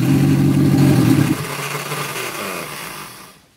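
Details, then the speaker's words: Reliant Fox engine that hadn't run for years, started on the garage floor on fuel in the float bowl after valve clearance check and ignition improvements, one valve possibly not seating: steady, even low beat before winding down; runs smoothly, no knocks. "Wow that sounds beautiful it rather late gosh she's a runner and she's running on the fuel in the fuel bowl"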